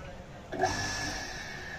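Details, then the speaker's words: 1 HP water pump motor after replacing its seized, jammed bearing, original coil: motor starts and runs with a steady, even hum and faint constant whine, no grinding or knocking; normal after repair. "Motor ঘুরছে, ওকে।"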